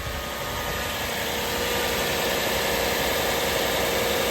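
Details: Toyota Celsior UCF20 (LS430) V8 after LS430 alternator upgrade with new pulley and belt tensioners: smooth, even idle with a steady hum and no squeal, chirp or belt slap; accessory drive sounds healthy.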